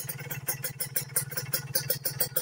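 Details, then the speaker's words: Two-stroke motorcycle after pilot-jet/main-jet carburettor tuning, idle held steady at 1000 rpm; even burble, regular firing, no misses or surging: normal idle. "jadi untuk posisi langsam dia tetap ada dan bisa di 1000rpm terus"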